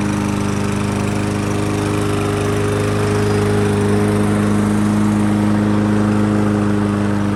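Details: Toro lawnmower with a Briggs & Stratton engine that ran rough and was hard to start, after its plastic carburetor was reinstalled: it holds a smooth, steady beat with constant pitch and no surging or sputter. It runs normally.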